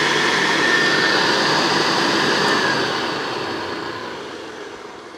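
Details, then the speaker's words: Vintage Hoover Senior 6525C vacuum after sympathetic refurb (hood lens polished): smooth, steady motor whirr with clean high hum, no rattles or scraping, winding down evenly; motor sounds fantastic and healthy, fully usable again. "the motors the motor the motor sounds fantastic on it and it just is completely transformed and now usable"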